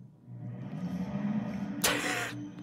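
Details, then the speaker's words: Dover hydraulic elevator in a seven- or eight-story hotel, room directly above: heavy, droning rumble from the pump, loud and uneven with a brief rushing burst, far too loud for sleeping guests. "just hear that you're not sleeping there there's no way listen to that it sounds so bad"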